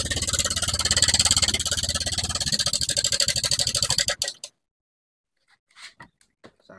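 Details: Honda Vario 125, engine restarted: fast, harsh metallic clatter riding over the idle for about four seconds until shutdown; cam chain tensioner rattle, sounding very bad.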